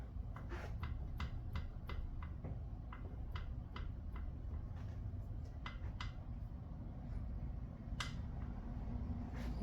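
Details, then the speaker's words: 2013 Ford Taurus Police Interceptor, front end clunks over bumps: sharp light clicks in uneven bursts as the wheel hub is rocked by hand, from play in worn tie rod ends. "in this case when I took it at this position and wiggled it it was loose because of these tire rod ends when I put it at this position it wasn't loose"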